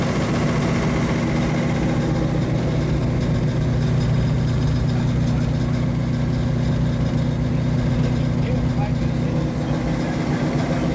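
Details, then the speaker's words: 1935 Chevy Master with newly installed 409 stroker V8, first start-up on jack stands; oil pressure and temperature good; even lumpy idle with steady rhythm, no misses or knocks; sounds cammed; normal idle. "sure sounds good sounds like it's got a cam in it buddy"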